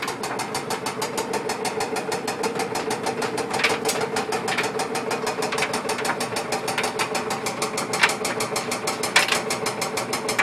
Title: Whirlpool dryer ticking/clunking noise